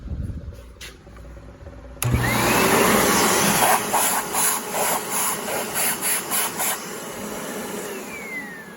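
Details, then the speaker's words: Kenmore vacuum (Panasonic-made): the motor spins up to a steady rushing whine with no brush-roll thrum beneath it because the drive belt has broken and the brush roll is not spinning. "There is no belt, and this is also a problem. The belt broke, the brush is not spinning."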